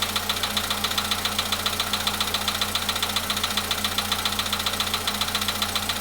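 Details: VW Polo Sedan at 93,000 km, cold start idle: sharp, very regular ticking knock about two to three per second over the engine; source not found; engine knock.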